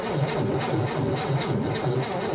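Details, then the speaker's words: A stored 1960 Cadillac Series 62 is tried with starting fluid and no fuel in the carburetor. It cranks slowly and drags without catching. The battery, taken from a truck, is shot and lacks the power to spin the engine. "all right it just don't have enough juice yeah uh I've got another battery and I may just have to go buy a new one"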